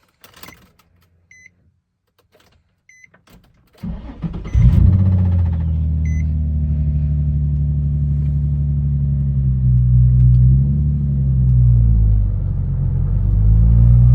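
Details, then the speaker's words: Nissan 350Z with its 305 engine, cold start with low oil pressure: beeps, then engine fires into a rough idle with a faint rattle; owners suspect oil-fed hydraulic timing chain tensioners letting loose, earlier thought to be rod knock. "But now that we've listened to it, started it, even though it's cold, the oil pressure is not very high, and we think those little pistons are letting loose."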